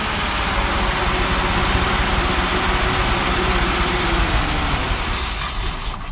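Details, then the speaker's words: 1957 Chevy Bel Air 327 V8, not run in 10-15 years, running off an electric fuel pump from a jerry can, carb has no accelerator pump, water was found: uneven, loping beat that won't hold idle yet, quieter and happier than before. "Not exactly. Not idle, but it's happier. happier. So quiet."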